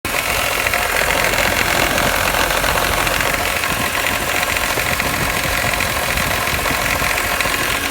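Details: BMW E46 M3 at steady idle, raspy hissy whirr with fast light ticking from an accessory; owner suspects bad alternator bearings, not confirmed.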